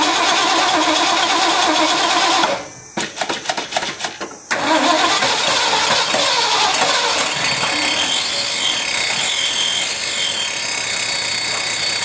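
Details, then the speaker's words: Ford F-100 V8 first start in 5 years after new spark plugs and rebuilt carburetor with doubled EGR-plate gasket: uneven cranking pulses, then catches into steady strong run; needs adjustment, slight exhaust issue. "he runs pretty good have to do an adjustment got a little bit of an exhaustive that you"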